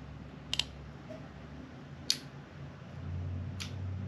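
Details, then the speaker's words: Fuel pump relay in a trimmed late-90s Subaru wiring harness and ECU, bench-tested with test mode connectors for a VW conversion, ignition powered: a quick double click, then single clicks about every 1.5 s, showing the fuel pump circuit works. "all right that's a good sign you can hear the relay is clicking right here that means that our fuel pump is working"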